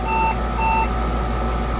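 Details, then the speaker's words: Compaq Portable 2 powering on after a faulty memory chip was replaced, with the drives not fitted: 640K OK, then two short high beeps over the fan hum signal a disk controller error. "Hey! 640K okay. Look at that! This controller error now."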